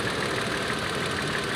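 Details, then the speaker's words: 2012 Toyota Tacoma idling just after purge valve replacement while chasing EVAP codes; even, steady idle hum with light regular injector and valvetrain ticking, nothing out of rhythm, normal idle. "So let me start it up and I'll show you guys how this sounds. So it's kicked on and running now."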